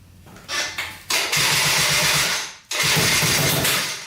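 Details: 2003 Polaris Sportsman 90 ATV two-stroke after new top end and oil pump, premix 40:1 for break-in: fires first try, crisp idle, shuts off and restarts straight away; healthy start and run.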